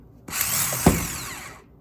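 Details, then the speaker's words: 2011 Toyota Corolla starter test: a brief free whirring spin with no engagement clunk. The pinion stays down instead of sliding up, so the starter only semi-works and needs replacing. "It's not rising. It's staying down, which makes me believe the motor, although still semi-works, is not working how it needs to."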